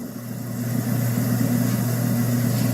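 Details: Garbage disposal after a lodged piece that had been knocking was worked loose: steady, even motor hum with no knocking or catching, spinning freely and sounding normal.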